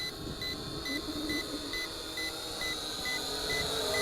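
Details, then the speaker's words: ATTOP W8 GPS camera drone, 2S 2600mAh battery, in flight: crisp high beeps about twice a second over faint rotor hiss while the app shows 39%, with all drone lights blinking; low battery warning beeping. "I get a little worried here because it hasn't been going down I'm gonna assume that that beeping is accurate"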